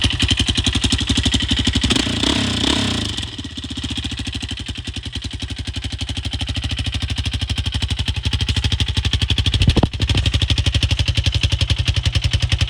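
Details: Rebuilt Yamaha Raptor 660SE ATV, bought wrecked with engine in a box, now reassembled with new chain: steady, even single-cylinder thump at idle with one short throttle blip, settling back smoothly; healthy normal idle.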